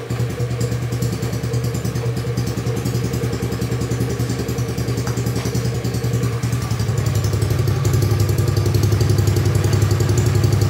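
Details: Carbureted Honda Beat scooter after a service, started at night on a weak, worn-out battery: steady single-cylinder putter firing evenly, picking up a little and settling at a slightly higher idle; engine running fine.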